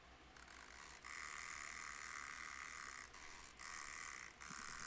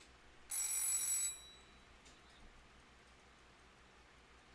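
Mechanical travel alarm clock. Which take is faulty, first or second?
first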